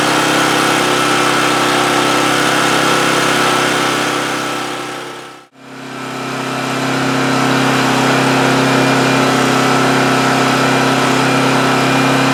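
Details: Homelite GC1800A 1800-watt generator from 2008, after opening up the carburetor pilot jet, running about 10 minutes with the choke wide open: a steady, even drone with constant pitch, no hunting or surging; running normally.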